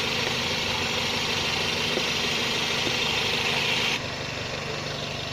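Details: 2003-06 first-generation Toyota Vios petrol engine idling with a shake after plugs and injectors were checked: slightly uneven, lumpy beat under a loud hiss that suddenly quiets; vacuum fault suspected, not confirmed.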